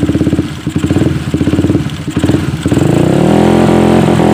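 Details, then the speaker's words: Suzuki Satria FU, previously dead (mati total), after the spark plug and compression were checked and the plug reinstalled: uneven chuffing catches, then a steady, rising smooth hum as it revs; the engine starts and runs properly. "kalian bisa saksikan bersama pakai motor sudah sudah bisa nyala kembali"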